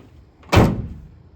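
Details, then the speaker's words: Tailgate on a 1996-2002 Dodge Ram or 1987-2006 Ford F Series after replacing hinge pivot bushings: one solid thud as it shuts, with no squeak or rattle; hinge pivots quiet and working properly. "But for now, no more squeaks on the tailgate."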